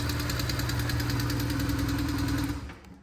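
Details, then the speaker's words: BMW R1150GS boxer engine idling warm during an oil change: fast, sharp, even ticking over a steady idle until shutdown; the previous owner reportedly adjusted the valves himself, suspected of poor valve clearance. "See, if your bike has even a faint ticking noise, my next video will probably help you out. Just trying to listen for where it was. The customer stated that, well, I guess the previous owner had adjusted his own valves, and he probably really didn't know what he was doing."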